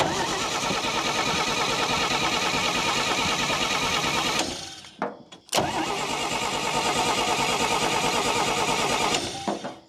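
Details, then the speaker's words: Old Dodge Power Wagon flathead with a recharged battery, two bursts of steady cranking that never catch. No spark; the distributor points are no longer opening and closing as the engine turns over. "Okay, I've lost spark. Don't know why. My problem appears to be the points in this distributor. They're no longer opening and closing like they should when the engine turns over."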